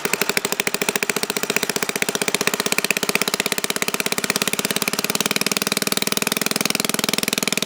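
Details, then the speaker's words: 1952 Briggs & Stratton 5S hand-lever-start engine, freshly restored, no muffler: crisp, even rapid exhaust pops running steadily but a little sluggish at high RPM; owner suspects the slightly damaged carburetor needle and seat, not confirmed. "One thing I think we need to look into is, I remember I watched your video, the needle and the seat were a little damaged, so we're having a little bit of high RPM issues, it's a little sluggish, but these engines, the way I just read it, they're not made to run that fast by any means"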